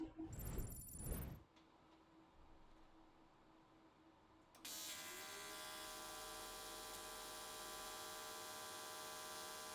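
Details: AC TIG welding aluminium S13 catch cans, vertical welds, after switching to square wave: arc strikes into a steady, even buzz that holds pitch without sputtering or popping, definitely more stable than before.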